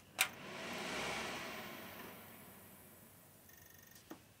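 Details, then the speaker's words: Fujitsu Esprimo P420 desktop at power-on: a click, then the fan hiss swells for about a second and settles quieter, the normal boot-time fan rev-up. "loud when they rev up so it revs up quite a lot when it boots so we'll power it on now"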